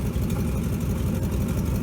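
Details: 1957 GMC 370 2-ton truck, original Pontiac 347 V8, revived after 20 years sitting, on its own tank, carburetor uncleaned and leaking: low, steady idle with even lope, no knocks, misses or hunting; 30 oil pressure; normal idle.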